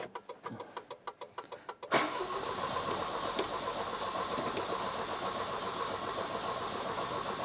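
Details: Volvo 240 on full choke, previously ran from a remote fuel bottle, now won't fire after refitting the tank: starter cranks in steady pulses about four a second without catching; owner suspects weak spark, distributor dirty, unconfirmed.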